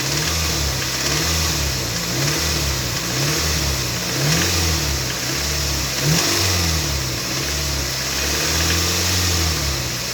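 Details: Toyota MR2 Mk3 Roadster, laid up for a long time, now on fresh fuel and a new battery. A metallic rattle rides over the revving engine, most noticeable mid-range, 2200–2500rpm. Source not pinned down; part 1 of the diagnosis.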